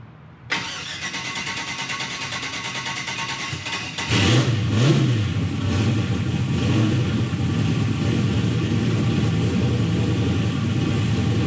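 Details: Turbo LS-swapped Mustang starting after fixing a cranking issue, charging confirmed; cranks briefly, catches at once and settles into a deep, steady V8 idle with one clean blip; sounds healthy.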